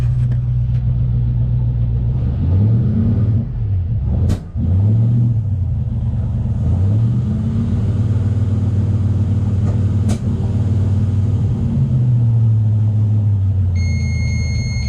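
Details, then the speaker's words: Luhrs 28 boat gasoline engine in neutral, not under load, filter disconnected from carburetor: revs bog and stutter before picking up, hesitation on throttle opening; carburetor suspected unable to handle load. "So, alright, that's what I wanted to know, if the carburetor was going to be able to handle the load, and it's not even under load, and it's causing, it has some issues."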